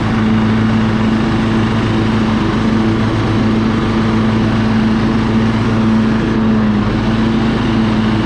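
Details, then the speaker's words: Husqvarna LT1538 mower with a Kohler CV15S engine, after cleaning the carburetor because old ethanol fuel caused surging: warmed up and idled down, a steady, even single-cylinder drone with no hunting. It runs smoothly. "see little idle down runs good and [Applause] smooth"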